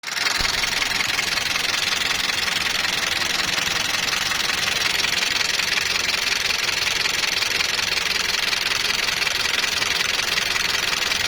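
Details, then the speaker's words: Toyota Land Cruiser Prado after cold start: steady fast ticking of about three per second over a hissy idle; mechanic plans to check the tappets (lash capsules), which wrong oil can harden, then oil pressure. "इसका सबसे पहले हम टपट check करेंगे टपट अगर okay हुई है अगर यल none जनन यूज हो तो फिर उसकी वजह से टपट हार्ड हो जाते हैं"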